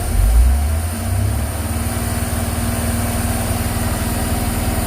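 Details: 1999 Thomas diesel school bus revved: a deep rumble swells, then settles into a steady, even throb with no smoke and the warning buzz gone. Normal, healthy engine revving.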